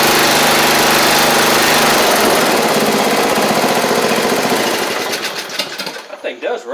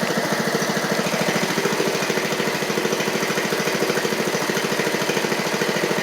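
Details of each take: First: 7-year-old MTD Murray riding mower after repairs, including a replaced missing exhaust valve, with covers back on: single-cylinder engine runs steady and even, then winds down smoothly at shutoff with no knocking or missing. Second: 7-year-old MTD Murray riding mower, oil low, ran great right after start: uneven, lumpy pulsing beat about three per second instead of a smooth idle; owner suspects there may be water in it; engine running rough.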